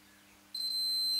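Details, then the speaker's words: Schlumberger Solartron 7150 relay, board-mounted upside down, contacts tested with a Fluke meter on diode/continuity test for 0 ohms: a steady high beep switches on sharply and holds as the relay contacts close. "so the relay's closed now."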